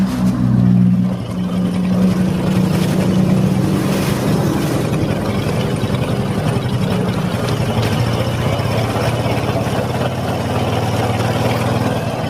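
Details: Honda Supra X 125: rough metallic scraping inside the clutch housing over the engine beat, harsher with revs and louder when ridden. Worn bearing behind the clutch basket.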